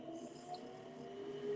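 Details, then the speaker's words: Home gas furnace as the thermostat calls for heat: the exhaust-gas inducer motor gives a soft, steady hum at an even pitch, without rattle or scrape, spinning up normally before the glow igniter lights the gas. "that's running it's this is your exhaust gas here so it's basically pulling out that exhaust screwing it to the outside"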